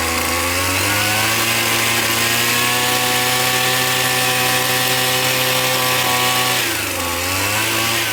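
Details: McCulloch T55 CLS line trimmer after tightening loose cylinder head bolts, the cause of its no-start: high even two-stroke buzz holds steady, dips briefly and recovers cleanly; runs smoothly and strongly.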